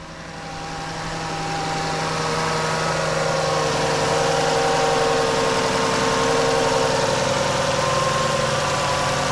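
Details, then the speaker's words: 2012 Dodge Journey 3.6 VVT after water pump, thermostat housing and belt tensioner replacement, first restart: a slightly odd initial bark, then a smooth, even idle with steady hum, no knocks, ticks or squeals; sounds healthy. "Ooh, that initial bark didn't sound quite right. But hey, it's running."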